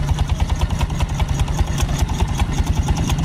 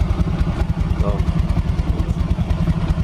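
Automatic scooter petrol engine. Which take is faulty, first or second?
first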